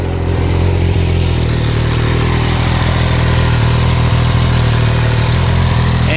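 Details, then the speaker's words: MV Agusta F3 675 after a HealTech exhaust servo eliminator install, exhaust valve wide open with no baffle, stop-engine exhaust valve warning still showing: loud, raspy, steady idle with an even throb; louder and raspier. Normal idle. "uh yeah there's what it sounds like without the uh the exhaust baffle basically in so a little bit louder a little bit raspier"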